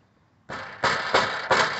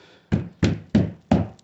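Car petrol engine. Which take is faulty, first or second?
first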